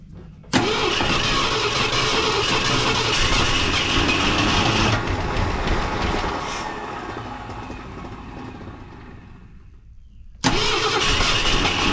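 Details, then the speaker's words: Wrecked 1974 Ford F100 parked for years, first start, fuel pump working: runs rough then sags and dies before refiring; owner thinks it is running out of fuel, not confirmed. "Looking like it's running out of fuel."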